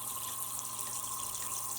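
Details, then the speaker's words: Junkyard GM 5.3 V8 fuel injector, off the engine on a pressurized fuel rail, cleaned with brake cleaner: steady soft hiss of fuel spraying with no clicking, won't shut off even when cycled; stuck-open leaking injector. "this one's a leaker i can't get it to shut off it has a nice spray pattern too but as soon as i get the fuel pressure in the rails she's spraying"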